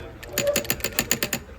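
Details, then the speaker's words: EGR solenoid on a bench test, wired to power with its ground wire tapped: eight crisp, sharp clicks about five a second, each a clean snap as the valve moves; the solenoid is activating properly. "And if we tap that, you can hear the solenoid activating and you can see it move."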